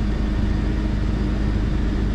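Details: Jeep Grand Cherokee 4.0, crank-no-start fixed by replacing a blown PCM battery fuse: steady, even idle with smooth low hum, no knocks, misses or hunting; normal idle.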